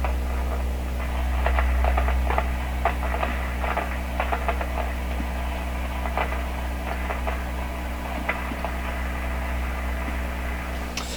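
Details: 1929 Victor RE-45 radio with a third #27 detector tube fitted and freeze spray applied: steady low hum with irregular sharp pops and crackles about three a second; suspected partial discharge noise persists, source still not found.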